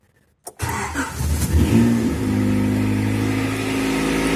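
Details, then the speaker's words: 1990 Honda CRX idling in neutral: the engine catches and settles into a loud, raspy idle with a fast puffing tick on the exhaust note, consistent with an exhaust leak somewhere. "The car is very loud. There's an exhaust leak somewhere, definitely."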